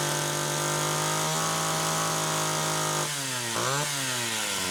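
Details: Homelite Super XL chainsaw, test run on the second carburetor: clean, steady buzz at idle, then pitch drops and recovers as the chain loads in wood; runs and cuts normally.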